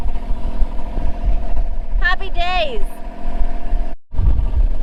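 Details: Boat diesel engine after rebuild, first start at the helm: steady even idle with a brief shout over it; settles smoothly, runs better than before.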